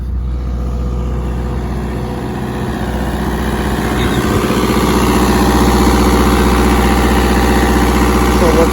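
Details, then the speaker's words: Diesel generator on a Prevost H3-45 motorhome, after oil, oil filter and air filter service, running under electrical load (fans on, 120 volts in, 10 amp load on each leg); steady even drone, constant pitch, no knocks or hunting; normal generator running under load. "so now i gotta load saying i got 120 volts coming in got a 10 amp load on each leg so that's pretty good sounds like she's purring"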